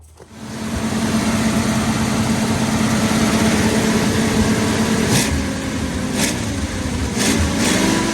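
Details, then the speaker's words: 1948/49 Ford F-5 flathead V8 running after about 50 years sitting, clutch stuck to flywheel: settles into a steady, even idle with a soft regular pulse and no knocks; runs pretty good, briefly tends to flood. "well I got to say we got the old girl running after 50 years she runs pretty good"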